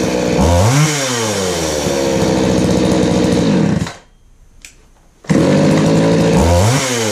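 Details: Craftsman 3.7/Poulan 3700 chainsaw with new carburetor and fuel line, after high-speed screw adjustment cured a bog: revs up crisply, drops to a steady idle, then revs again without bogging. It is running healthy and starts easily.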